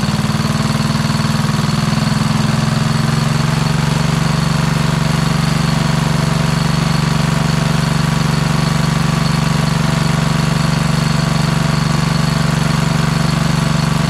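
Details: Kohler Courage single-cylinder engine repowering a Craftsman LT2000 lawn tractor, run after an oil-leak repair: steady idle with a light, regular ticking about twice a second. Lifter noise, and a drip still appears.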